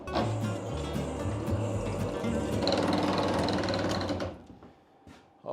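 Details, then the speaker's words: Homemade workshop elevator gearbox driven by a motor lowering the lift: uneven rough grinding and clatter, then stops; teeth broken on a wooden gear, to be replaced with a 3D-printed plastic gear. "definitely sounds like a broken gear. Ah. >> [gasps] >> But, the question is which one? Okay, we're getting progress. This time this gear is a problem. The teeth on that gear has broken."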